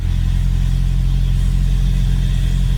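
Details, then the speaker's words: Honda running after oil leak repair, second start on a weak boosted battery; deep steady even engine note with no knocks or misses, sounds healthy though a check engine light is on. "But other than that, sounds amazing."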